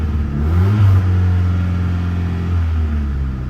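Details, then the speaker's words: Honda Civic bought as a winter project (petrol suspected bad): engine starts, revs strongly and holds a steady deep drone, but the car does not move; a transmission fault is suspected, not confirmed. "I I don't move. I don't move. But okay, so something it's it's not good in the transmission"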